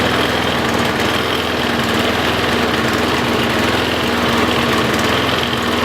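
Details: Troy-Bilt Tough Cut 220 21-inch self-propelled mower, bought non-running, now running after straightening a possibly pinched fuel line. Steady, even engine note at constant speed with no misses, surges or knocks: running strong, normal.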